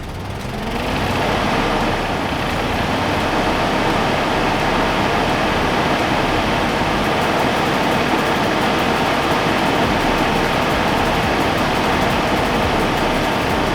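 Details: Abandoned 1988 Mazda RX-7 rotary, first running on old gas, low oil pressure: loud ragged running with uneven stumbling beat, can't hold idle; rough running, feels like misfiring, owner hopes new gas helps.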